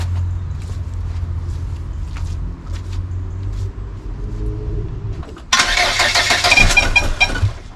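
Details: Volvo 480 2.0 after timing belt replacement and valve adjustment: steady cranking at about four turns a second that never catches, then a burst of hiss. Cranks but won't start; cause still unknown.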